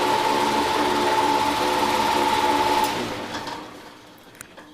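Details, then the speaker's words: Old motor removed from a heat pump, run on the bench: abnormal noise at startup, then a thin, steady high whine over the motor hum that fades as it coasts down; worn bearings with shaft play. "you could hear an obvious uh abnormal noise when it started up and then when it got to running there's a little wh"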